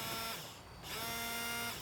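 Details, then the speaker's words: Vehicle windshield washer pump, key on, switched on intermittently while hoses are inspected for cuts, kinks and leaks: steady high electric buzz on, off, then on for about a second. Pump working normally. "If the fluid is fine, have somebody turn on the washer pump intermittently while you're inspecting the hoses"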